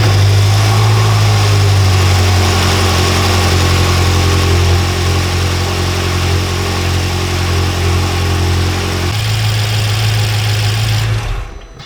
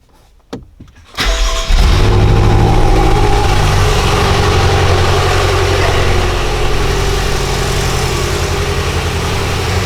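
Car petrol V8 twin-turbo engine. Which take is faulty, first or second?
second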